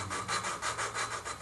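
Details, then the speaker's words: Volvo S70 2.4T used cylinder head, valves being lapped by hand with a suction cup and grinding compound. Rhythmic gritty rasping, about three strokes a second, because valve and seat are not yet mated; lapping continues until the noise goes away and turns smoother. "grinding well you pretty much want to laugh the Val until that noise goes away you how it's getting smoother"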